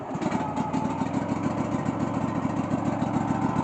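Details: Cub Cadet LX46 XT2 rider mower, fuel-injected 679 V-twin: steady, fast starter churning with even compression pulses and no firing; crank no start, no spark; faulty start/stop key module grounds the ignition kill.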